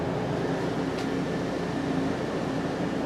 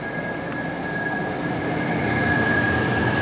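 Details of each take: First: 2014 Itasca Impulse RV rooftop Coleman AC, after replacing the fan motor that had a bad bearing: smooth, even fan rush and steady low hum with no scraping or bearing growl, quiet and strong airflow. Normal running. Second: 2014 Itasca Impulse RV roof-top Coleman Mach A/C, cooling from 99 degrees inside; thin steady high whistle over the even blower rush from a bad fan motor bearing; fan motor bearing whistle.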